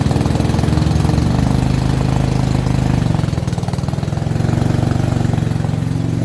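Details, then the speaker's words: Dixie Chopper 60-inch zero-turn mower V-twin, only firing on one cylinder, throttle wide open; steady thrum sags in speed then recovers as blades or drive load comes on; dragging pulley possible but doubted. "the minute i either turn on the blades it wants to kill the motor or the minute i try to drive it and put pressure on it by using the steering arms it wants to slow down and die again"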